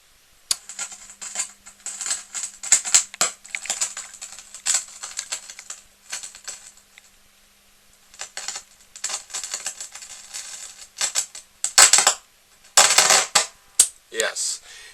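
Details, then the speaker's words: Sony TA-88 vintage amplifier with the right channel on the speaker, the left on a power resistor and the volume sliders down: sharp, irregular crackles and pops in the right channel, an intermittent fault not yet located. "definitely crackling more crackling on the right channel"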